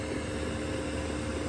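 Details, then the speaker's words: 2kW Chinese diesel heater, pump noise dampened with foam and mounts; steady fan roar with even mid-pitch hum, dosing pump tick-tick barely audible, heater running normally with pump well muffled. "again you can almost hear the tick tick tick tick"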